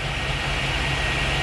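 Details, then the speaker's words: Junkyard 2004 Chevy Lumina SS 5.7 LS1 V8 idling after a fuel pump swap; it had low fuel pressure and would not start without fuel sprayed in the intake. Steady, even, smooth rumble with no misses, so the old pump was bad. "is a prove that the pump was bad it is idling good"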